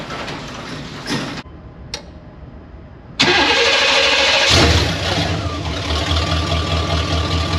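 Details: Chevy 1500 OBS truck swapped from 4.3 V6 to a 350 V8, with an ECM from a running 1992 350: after a short pause it fires promptly and settles into a smooth, steady idle with no misses; it starts and idles normally.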